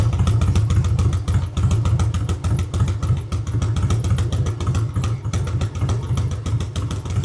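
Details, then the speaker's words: Harley-Davidson Road King converted from Magneti Marelli EFI to CV40 carburetor, pushrods adjusted, carb retuned slightly: deep steady V-twin lope at idle, no valvetrain ticking; runs healthy. "I did have to retune the carburetor just a smidge to get it working correctly. But as you can see, this thing runs beautifully."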